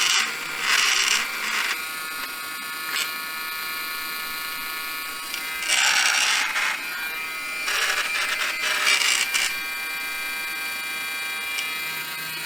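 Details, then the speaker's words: Samsung Jet 90 Pet vacuum turbo brush after disassembly and reassembly, with the belt possibly worn and awaiting replacement: even high buzz with short louder surges, no grinding or rattle; the loud whirring is gone and noise is significantly improved. "I think the improvement is significant."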